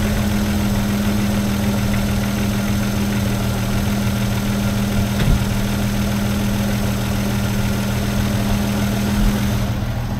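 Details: Rover P4 after replacing old Bakelite acorn plug caps with tight-fitting P6 rubber boots: even, steady idle with smooth low exhaust beat, no stumble or miss; normal idle, much smoother than before.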